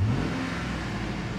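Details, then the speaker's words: 2007 Chevy Tahoe LTZ 5.3L after clearing code P0641 shorted 5V reference 1 circuit: engine revs cleanly with the accelerator, steady even tone with no stumble or hesitation; throttle response normal, 5V reference now reading 5.025 V. "now let me press the the accelerator and you will hear the uh hear the engine Rev there you go now it's working properly"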